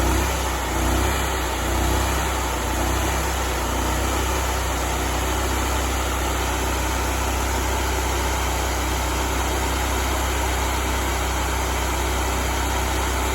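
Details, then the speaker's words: Honda GX630 V-twin freshly restarted after a smoked camshaft, with new oil and fuel drawn up, before the speed is set to 3600 rpm. A smooth, even hum settles after a brief surge, with no dropped cylinder: normal running. "But it doesn't appear to be dropping a cylinder or anything. It's running good."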